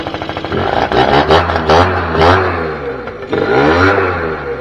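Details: 2006 Keeway F-ACT 50 two-stroke scooter running off a weed-wacker fuel tank, carburetor not yet set up to idle properly: buzzy engine climbs and falls cleanly through several throttle blips without misses; normal running and revving.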